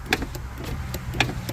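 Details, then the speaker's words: 2008 Mazda 3 hatchback front passenger power window going up: motor hum with irregular light knocks and ticks, glass loose; owner suspects window not fully bolted to regulator, cause not confirmed. "and it very much sounds like the window just isn't bolted down all the way on that regulator"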